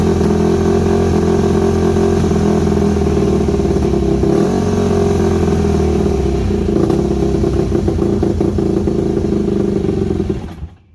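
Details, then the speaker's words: Yamaha WR250 with good compression, needing carburettor rebuild: single-cylinder idle holds a steady low beat but wavers and sags before shutting off; owner unsure whether the idle jet is fully unblocked. "you can hear it when it's running as well it's uh it's got an idle issue there I'm not too sure about that idle Jet if it's um if it's completely unblocked or not"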